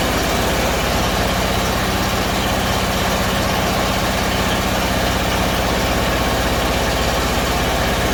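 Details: Bedford CA campervan (Rambo) being revived on a freezing −2° morning: lumpy, uneven idle with irregular stumbling beats under a heavy drone; owner suspects too much fuel from somewhere, cause unconfirmed.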